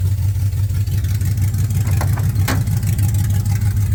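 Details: 1979 Camaro with LS swap: deep, uneven V8 idle rumble with lumpy pulses and loud open exhaust; runs rough because there is almost no exhaust pipe after the O2 sensors.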